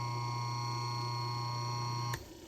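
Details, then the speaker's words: Restored GE 1/6 hp wound-rotor induction motor unplugged after running on a Variac at its rated 110 V. A smooth hum cuts off with a sharp click, and the centrifugal switch operates as it winds down cleanly: normal, healthy. "Listen to the wind down and the centrifugal switch. Oh, just beautiful, huh?"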